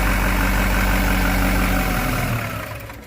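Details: Duramax LB7 diesel just after new injector install, first start, some air being purged: even diesel clatter at steady idle around three beats a second, no stumbling; runs healthy.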